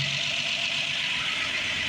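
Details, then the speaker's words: Rebuilt Ford 215 inline-six, new spark plugs, first start with choke on, oil pressure up, some smoke expected; steady, even idle with smooth hum and no knocks or misses. "Oh, more life. Go ahead. Go ahead. Probably going to have a little bit of smoke. You got an oil pressure. Good. That's awesome."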